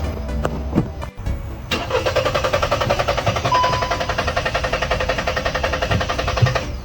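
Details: Car that would not start right after refuelling; fuel lines, pump, plugs and throttle body had already been serviced. Starter cranks steadily at about four beats a second for five seconds without firing; the mechanic suspects a faulty purge (canister) solenoid.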